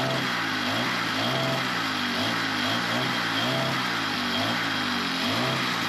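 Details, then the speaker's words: Small engine after new fuel line and fresh gas, long unused: hunts up and down about 1.5 times a second at a high idle and acts like it's cutting out; owner thinks the diaphragms just need more run time to adjust, not confirmed. "That one there I think needs to run a little bit longer. It's a little bit on the high end. It acts like it's cutting out."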